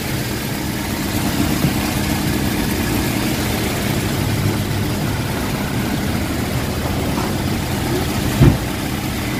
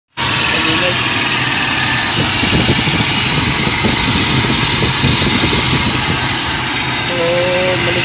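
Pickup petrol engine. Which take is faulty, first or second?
second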